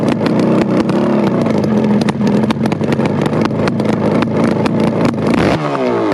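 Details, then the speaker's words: Kawasaki S1 550 four-cylinder motorcycle engine, first startup at a friend's house: loud, busy roar held at a steady fast idle with quick blips near the end, even and healthy; normal running. "i thought i'd put a little clip of the previous video with the first startup at my friend henry's house it was so loud and the mesmerizing sound is ringing in my ears even today"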